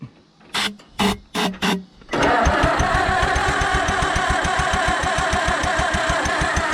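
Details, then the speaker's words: Allis Chalmers WD tractor after in-frame engine reman, magneto rebuilt, old plug wires, throttle wide open, battery weakening: four short starter bursts then steady cranking about three and a half beats a second with scattered pops; close to starting. "did you hear it run it kind of popped it kind of popped that means something close it's pretty close even with those crappy old plug wires"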